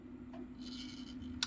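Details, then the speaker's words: Capriole 5000 W AVR voltage regulator under repair after burnt-out high and low transistors and servo motor damage: a low steady mains hum, then one sharp click as the relay switch underneath trips at the voltage-arm limit. "So ayan, magre-relay nag-ano po yung pinaka-switch na sa ilalim. Magki-click na po yan siya."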